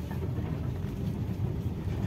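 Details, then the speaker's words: Used 2015 Toyota Avanza E manual, about 88,000 km, driving over dirt and small stones: steady low tyre and road rumble, no knocks or clunks, steering feels normal; suspension tight and sound, normal. "masih sangat enak masih kenceng tidak ada bunyi gluduk-gluduk disetel juga tidak ada rasa apa-apa tidak ada bunyi-bunyian"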